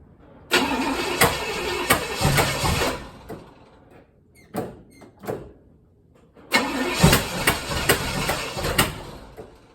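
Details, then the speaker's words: 1964 Chevelle, long unrun, first start with headers, no freeze plug so coolant leaking and burning on headers: catches in ragged bursts, stumbles and dies, refires unevenly, won't hold idle; barely runs. "okay oh what's burning yeah it's just exhaust coming up okay sounds like antifreeze burning on the headers well she does live yes just just barely"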